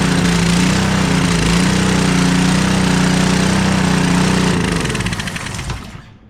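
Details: Honda GCV190 on a barely used Craftsman pressure washer that had a stuck pull cord, after valve-cover removal and valve-train work, briefly run with no water hooked up: steady, even fast pulse with no knocks or hesitation, then shuts down; runs healthy.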